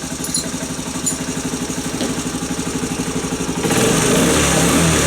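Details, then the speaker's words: Postie bike single-cylinder after cam chain adjustment to cure an engine noise; steady, even putter at idle then a clean rev blip, no chain rattle or ticking, noise now barely audible. "whereas that's more steady now. Yeah, well you can barely hear it."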